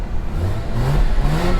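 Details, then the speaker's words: 2006 Mazda RX8 rotary, manual with twin oil coolers, bought at Copart, blipped after a booster-pack restart: smooth, clean rise in pitch with no knocks or rattles; sounds way better than the other RX8, healthy engine. "This one sounds way better than my other one."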